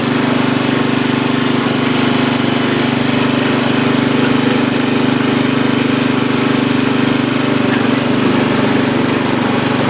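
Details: Free old Lawn Chief (Murray) riding mower, reportedly used last year and needing a tune-up: steady low single-cylinder drone at constant speed with an even beat, no knocks or misses; running normally.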